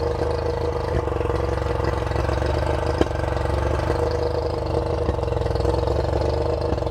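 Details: Revived two-stroke outboard on flush muffs fed from a fresh-water port: steady, even burble with a fast, raised beat, still idling a little bit high.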